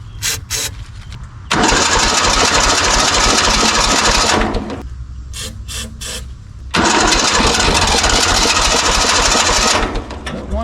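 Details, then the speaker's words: 1970s Kubota L1500 two-cylinder diesel tractor abandoned about 20 years, jump-started, spins over nicely but seems low on compression: two long cranking bursts with even starter chug, engine trying to catch but never running; probably needs diesel. "it to Yeah, it wants to. It really probably just needs some diesel in it, though."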